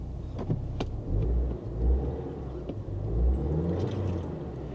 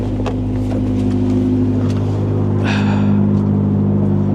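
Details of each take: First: 2014 car with brake-pad, brake and check-engine lights on, listed as a non-runner, idles with a rough surge-and-sag hunt that clears then returns; could be a coil, worn spark plugs or a head gasket, cause unconfirmed. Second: Square-body Chevy truck at auction, manual transmission, big muffler, no power steering, blower motor not working: smooth, even low idle with steady pulse, no ticks, knocks or misses; runs great.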